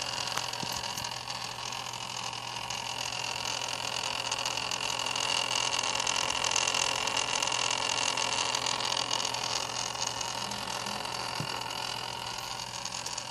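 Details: Antec Kühler 620 AIO cooler after three months of use, no overclocking; steady high hiss with faint thin whine over a low hum from the pump; abnormal pump noise, cause unknown.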